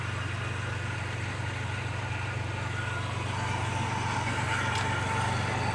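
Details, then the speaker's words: 1990 Mitsubishi Montero at first start: steady low idle pulse of about four a second with slight unevenness; stumbling but running, rich with black smoke. "It's stumbling, but it's running. Definitely rich. It's puffing out that black smoke still."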